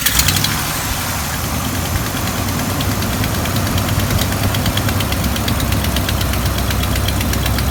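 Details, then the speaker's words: Petrol engine started after alternator replacement (battery 12.88 V before): catches and settles to a rough idle with a sharp, regular ticking puff from a known exhaust leak. "So anyway, I'm going to start it up, and don't worry, the exhaust leak's the next thing to get fixed."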